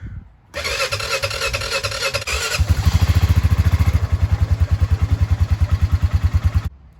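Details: Old Honda Foreman Rubicon 500 4x4 ATV, year unknown, that sat forgotten under a porch for years: fires up after oil fill, battery install and priming, revs briefly, then settles into a steady, even low thump with no misses; normal idle.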